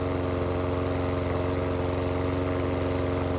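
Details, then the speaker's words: Lawn mower engine started after three primer pushes on the first pulls of the season, with brand new oil and new petrol. Smooth, even single-cylinder putter at steady speed, no misses or knocks: normal running. "Brand new oil, new petrol. Wonderful."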